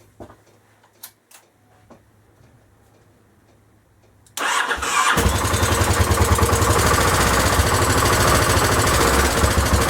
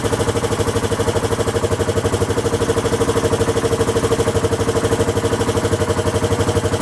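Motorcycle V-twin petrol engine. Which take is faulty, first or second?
second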